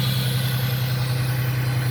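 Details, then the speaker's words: 1998 Ford Mustang at first start after sitting 10 years, cold and starting to warm up: a steady, even low idle with a smooth beat and no knocks, misses or squeals. It fired right up and runs cleanly. "sounds really good i'm gonna let it run awhile let it heat up for the first time in 10 years"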